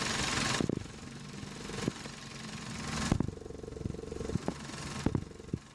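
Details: Running engine heard via a selfie stick pressed on the part, knuckle to phone mic: sharp, irregular clicks and knocks about every second, previously diagnosed as a loose radiator fan housing rattling.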